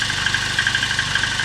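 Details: VAZ 2109 at about 192,000 km on its original unrepaired engine, at cold idle: light, quick metallic ticking with no deep knock. Owner attributes it to worn tappet seats and clearance and expects it to fade when warm.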